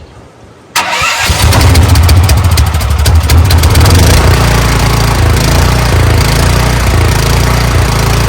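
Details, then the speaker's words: CAT RP7500 generator that sat unused and wouldn't start, with fully charged battery, choke out, fuel on, electric start: catches within a second and settles into a steady even low idle, no stumbling or surging. "deal well as simple as that she fires right up"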